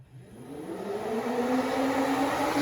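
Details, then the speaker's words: 1979 El Camino SS, key on with the engine off: the 16-inch electric radiator fan spins up and holds a strong, even whir at full speed and proper pitch, pulling lots of air. This is the healthy reference before the alternator swap to a Powermaster 150 A. "This thing is pumping now, like really pulling a lot of air. You can hear the pitch of it. That's how it should sound."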